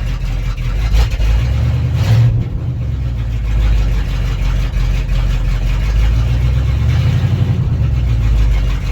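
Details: Ford F350 Bumpside left sitting in a field 20 years, started after a new ground fixed its cranking problem: deep, even V8 rumble picking up cleanly on short blips and settling back; runs strong and healthy, charging at 14.1 V.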